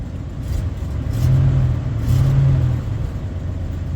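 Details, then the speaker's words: Ford 460 V8 in a budget farm service truck: deep even rumble swells briefly then settles to a smooth steady beat, no knocks; a good running engine at normal idle. "is one good running 460 right there"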